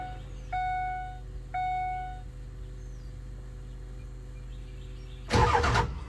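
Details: Ford 7.3 Powerstroke diesel truck cranks and starts promptly after two chimes. This follows pulling the injectors for troubleshooting, hand-cranking the oil out and re-torquing; an earlier fuel pump and return spring job hadn't fixed the rough running. It now runs much better; oil flows from front injectors 1, 3, 5 but not 7.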